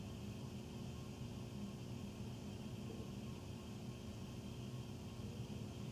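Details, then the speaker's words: Furnace running after 10 PM (08-20-14), heard through the main duct, with tiny water dripping noted. A constant low droning roar with a steady hum and no knocks; the furnace is noisy and the cause is unclear. "Between the loud noise, there's tiny noise. Oh, this is loud. There's tiny water dripping noise. Loud."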